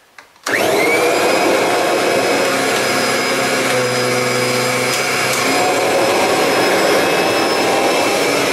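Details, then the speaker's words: Kirby Sentria II vacuum running over carpet in a salt pickup test: sharp spin-up to a steady, clean high whine with even brush hum, no rattle or rough bearings; sounds healthy, unlike a G4 needing bearings. "And that was 8 passes. Obviously that sounds a lot better because this is practically a new machine compared to the G4 that needs the bearings changing."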